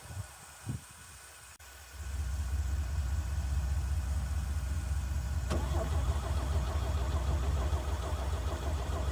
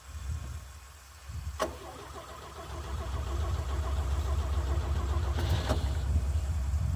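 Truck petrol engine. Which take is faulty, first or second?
first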